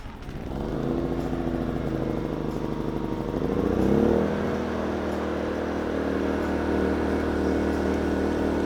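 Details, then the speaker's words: Inverter generator after carburetor replacement and redoing a damaged mounting gasket, idle control off: engine lifts speed briefly, then settles into an even, steady run, much smoother, no longer hunting back and forth; smooth steady idle. "that's much smoother that's not hunting back and forth"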